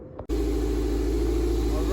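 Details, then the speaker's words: Toyota MR2 idling right after the noisy part was replaced: smooth, even idle with a steady low hum, the earlier squeal gone, running healthy. "we just turned it on 100 sounds so much better already it sounds good some strong we don't have that squealing anymore which is good"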